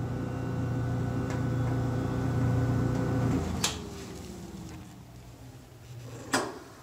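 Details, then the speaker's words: GE dryer that shuts off after pressing start, run with door switch held in: steady motor hum with no drum tumbling, then the motor winds down with a couple of clicks; broken drum belt. "So you can hear the motors turning, but no drum. So it tells me we got a broken belt."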